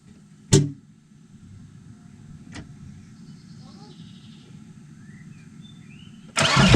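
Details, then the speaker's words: VW Transporter T5 2.5 TDI five-cylinder diesel, first start after machining and refitting the warped exhaust manifold: sharp bang on firing, another pop, then loud rev surge; backfire from brake cleaner left in exhaust. "We had a bunch of what's it called, brake cleaner inside the exhaust, so backfire and a lot of RPMs on the start. Not good, but whatever."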